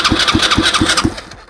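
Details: Used Chinese 125cc engine with electric start, 3 forward gears plus reverse, old kerosene-smelling gas, rewired harness and old CDI: steady starter churn with even compression pulses, never fires; cranks but won't start, cause not confirmed.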